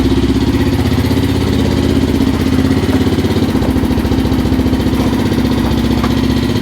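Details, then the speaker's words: 2005 Suzuki LTZ 400 single at idle after head and valve guide work: loud, quick, even top-end ticking over exhaust pulse; valve clatter from zero valve clearance, tight exhaust valve with lost shim. "so it's pretty loud um I'm probably gonna go back in and recheck the uh the valve clearance is on there"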